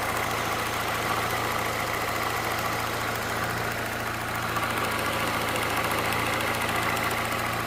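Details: Peugeot 207 1.6 VTi petrol engine idling steadily, with a light, quick ticking over the hum that seems to come from the right side; its cause is unknown to the owner.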